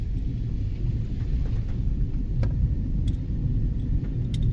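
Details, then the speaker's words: Subaru Crosstrek, rear noise heard while slowly reversing: low steady growl, unchanged when parking brake applied; mechanic suspects a failing rear wheel bearing, side not yet confirmed, car to be jacked up. "Sounds like a wheel bearing's coming apart. We'll see."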